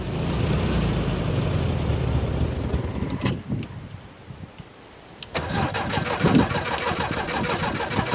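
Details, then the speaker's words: 1972 VW Super Beetle, first start attempt, with starting fuel squirted into the carb: slow, labouring cranking, then a short burst of uneven running; tired battery with loose, dirty terminals, and one bad spark plug wire; weak cranking. "my battery's a little tired but she ran she ran pretty good all right i think i need to clean my battery terminals and get that connected up tightly"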